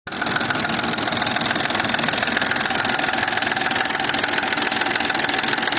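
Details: BDW V6 engine knocking both cold and warm; cold idle with steady fast tapping about two per second over the engine note; origin unknown.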